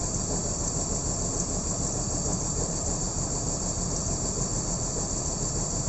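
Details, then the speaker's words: BMW M54B30 straight-six idling rough with misfires, left side cover removed to check the six ignition coils; owner suspects one coil is faulty, not yet confirmed. Uneven, stumbling idle instead of a smooth hum. "There are 6 of them, so straight 6, and then trying to find out which coil is misbehaving and giving me the bad idling and misfires."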